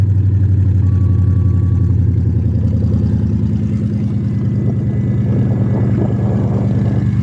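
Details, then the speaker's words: 1995 Lincoln Town Car V8 cold start idle: a deep, steady rumble with a faint thin whine, attributed to a bad idler pulley. "It's got a bad idler pulley. That's what that noise is."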